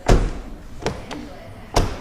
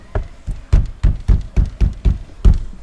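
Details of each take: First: Project Legacy driver's front door after sound deadening (Focal BAM outer skin, Dynamat inner skin), closing: three short, deep thumps with a quick, dull decay and no ring; a solid, well-damped door. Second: Project Legacy driver's front door during sound deadening (Focal BAM outer skin, Dynamat inner skin, wiring taped): hollow hand knocks about four a second, each with a short loose buzz; the rattle comes from a loose part in the door.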